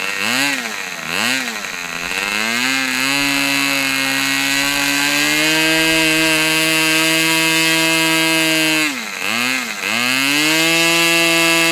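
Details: Customer's Fox twin-cylinder glow model engine after leaning low-speed needle about three clicks: sharp high buzz swooping up and down, then holding clean steady high speed; running smoothly, a good run.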